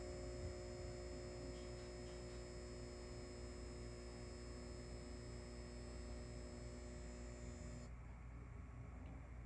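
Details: Halco/ProLume 70W high pressure sodium bulb, old with blackened arc tube, cycling at end of life: low steady mains hum with thin high whine that suddenly drops away as the lamp cycles off.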